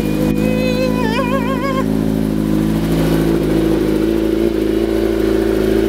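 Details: 2008 Kawasaki ZX10 after replacing the starter solenoid (bike had been cutting off after running and sometimes not restarting), first start: engine catches and settles straight into a steady, even idle, smooth firing, no misses or rattles.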